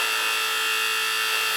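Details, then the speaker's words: Old gas boiler circulator pump, zones recently bled and pressure confirmed: constant high-pitched squeal and whine over a steady motor hum heard through the house; worn circulator bearings, pump to be replaced. "I was just here not that long ago bleeding this thing, so purging the air out of the zones, so I know it's not that. Just the bearings are gone, you can hear it."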